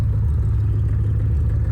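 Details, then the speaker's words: 1990 Chevrolet Corvette ZR1, all-aluminum DOHC LT5 V8 with headers, aftermarket exhaust, 6-speed manual, recently new injectors, coil packs, plugs and wires: deep, even V8 rumble, strong and steady with no ticks, misses or rattles; healthy exhaust note. "This exhaust sounds nice."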